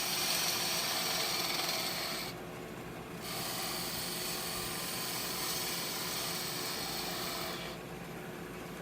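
Smooth, steady high shaving hiss with short pauses between passes over the spinning lathe: a clean, easy cut with no chatter.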